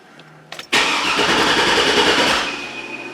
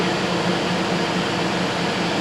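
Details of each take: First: GMC Yukon Denali after replacing the engine computer with a salvage PCM: starter spins the engine steadily for about two seconds but it never fires; the replacement computer isn't yet programmed via security relearn. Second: GMC Yukon Denali with replacement PCM from salvage yard after a no-crank fault, codes erased: smooth, even idle with steady hum and no knocks, misses or rattles; normal idle.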